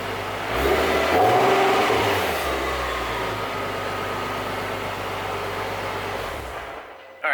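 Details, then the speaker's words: Infiniti G37 with newly fitted Invidia Q300 exhaust and Berk resonated test pipes: engine cold after sitting, fires up with light blips then holds a smooth, fairly quiet, clean idle. Normal cold start. "there it is guys a little startup video i didn't want to rev it too much just because the engine is cold"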